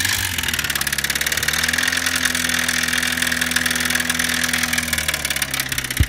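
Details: Subaru Sambar GD-TT2 at idle with a fast, loose rattle of about three to four beats a second coming from inside the engine. Cause not confirmed. Engine internal rattle.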